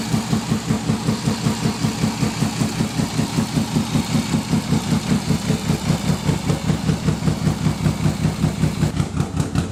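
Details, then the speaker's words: Fully forged BMW S52 engine first start on open headers; low lumpy idle pulsing about twice a second, hunting rather than settling, running a little rich; rough running, cause not confirmed. "he was running a little bit rich but it didn't sound like it was too bad"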